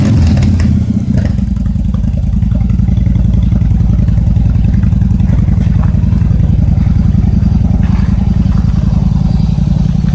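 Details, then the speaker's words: Yamaha XVS1100 V-twin after fuel system overhaul and carburetor jet cleaning, started on half choke: deep even rumble revving cleanly with no stumble or popping; healthy running, far better than before repair. "well she runs beautiful now way better than what the way it was running when I got it here"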